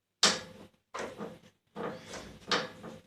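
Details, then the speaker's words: Metal staircase: repeated dry creaks with each step from a step with slight play in its joint that has loosened; creaking stair step. "этот вот мини люфт он будет всё время это делать ступенька чуть-чуть похрустывает она расходилась"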